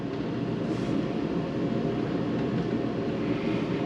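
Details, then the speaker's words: Mr. Heater Big Maxx garage heater under a year old: exhaust fan runs with a steady even whoosh, no rubbing or ticking; loud chatter is from the broken blower motor instead. "there's another fan in the other part there that does the exhaust oh that could be a we'll see what this does we'll just let it run for a second and then shut it off we don't want it overheating that fan is on and is not making noise"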